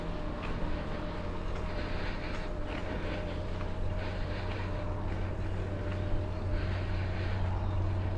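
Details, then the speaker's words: Mahle X35 hub motor on a Ribble CGR AL e e-bike climbing in a low gear with slow pedalling, the motor doing most of the work: a faint, steady mid-pitched whir partly buried in wind and tyre rumble; normal hub motor whir under load. "so i'm in a low gear so i'm pedaling slowly so the bike is actually doing most of the work at the moment it's just a very gentle whir"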